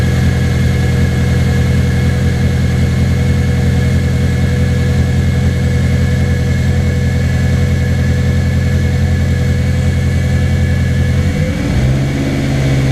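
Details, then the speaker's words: Track car left standing a week: lumpy idle sags and stumbles, and revs drop further when given gas. Owner suspects tank vacuum once warm kills fuel pressure, unconfirmed; idle speed drop. "foreign dropping and I'm going to give it gas it drops even more"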